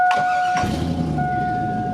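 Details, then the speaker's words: Chevrolet Silverado with 4L60E transmission, transfer case harness unplugged and exhaust cut at the flex pipe; engine catches and settles into a loud, deep, raw unmuffled rumble from exhaust escaping at the cut flex pipe. Exhaust leak at cut flex pipe. "exhaust is already cut so and it's kind of loud here we'll start it off exhaust is kind of loud because of that flex pipe"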